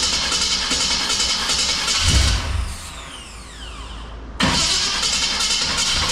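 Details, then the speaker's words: 1966 Chrysler Newport with diesel mistakenly added to the fuel: the engine runs ragged and uneven, smoking, sagging to a near stall then picking back up while the diesel burns out. It later ran well after retiming. Rough running from diesel-contaminated petrol. "So anyways, now we gotta burn that diesel out of it, get through to the fuel. So I'm sure it's gonna run like crud, which it was, and smoke, which it was."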